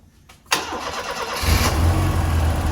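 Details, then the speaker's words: Ford Fiesta RS Turbo, stored 17 years, after cam belt change and with a borrowed Renault 5 Turbo fuel pump: starter whirr, then a clean catch into a steady, even low idle; normal start. "That's the good news. All up to temperature. The fans cut in and out."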